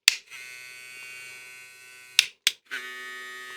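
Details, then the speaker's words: Hair trimmer fitted with a new Zircon blade: thin, high buzz shifts in tone when the lever moves. Owner suspects the blade is touching the bottom of the carriage. "Când maneta se mișcă, face un zgomot diferit. Bine, înțeleg. E pentru că lama pare să atingă partea inferioară a căruciorului. Cred că asta ar putea fi cauza sunetului ăla."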